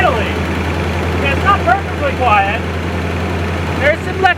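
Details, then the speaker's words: 1976 GMC C35 with a small-block Chevy 350 and manual gearbox, sitting about 10 years, first start on the old carburetor: steady, quiet low V8 idle with even compression and faint chirps and ticks. Expected to go away. "sounds like it has the same amount of compression idling it's quiet it's"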